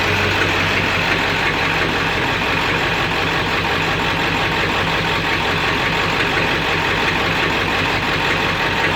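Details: 7.3 diesel rough runner with no power, after high idle and street mode, going to bypass: irregular knocking about three per second without clear rhythm, owner says sounds like rod knock; raw-diesel smoke, EGTs good, owner stumped.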